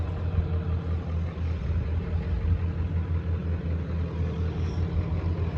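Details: 1994.5 Ford Power Stroke diesel ranch truck, 384,489 miles, standard transmission, just back running after shop work; deep steady diesel clatter at idle with even low thrum, no misses or knocks; healthy normal idle.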